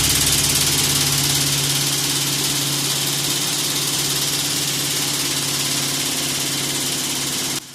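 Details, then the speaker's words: Pedestal fan at high speed, before repair: loud shaking rattle with a fast uneven beat over the motor hum, as if about to break apart; runs better at slow speed. Blades are out of balance with unequal pitch. "तो दोस्तों, यकीनन आप लोगों ने देख लिया होगा कि इस पंखे में से बहुत सारी ख़तरनाक सी आवाज़ें आ रही हैं, जैसे कि पंखा अभी टूटने वाला है।"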